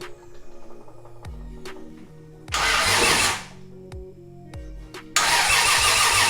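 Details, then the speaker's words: Nissan S14 with 1JZ VVT-i swap, crank sensor unplugged for dry crank to fill oil lines and coolers. Starter turns the engine at an even, steady rhythm with no knocks or grinding. Normal dry crank. "I think it's not bad no weird noises but it sounds like a Subaru"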